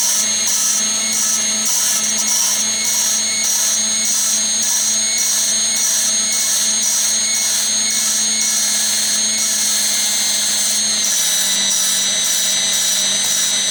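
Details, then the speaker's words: 2000 Yukon LM7 5.3 engine build, lapping a valve with a drill: high drill whine over coarse gritty scraping in bursts; grinding gets smoother once seated, but here the valve is not yet seated. "You can hear the grinding actually become less noisy or less coarse. It gets smoother."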